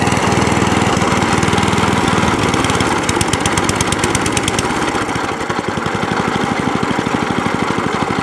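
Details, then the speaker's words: Crowcast 14S cylinder mower after new cylinder gear, pulley tensioner and drive cable refit: small single-cylinder engine settles into an even, steady idle putter, no knocks or rattles; healthy idle after repair, then shuts off. "Idles. And shuts off."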